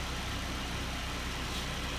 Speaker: because when you hear the car now it doesn't sound like an articulated lorry with its engine pulling itself apart none of that shearing noise the metal rubbing that's all down to parvel